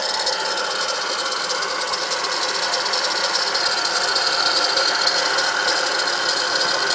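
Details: Acura TL engine running: a fast, fairly even rattle over the engine with no deep thump; owner suspects a bad alternator, unconfirmed.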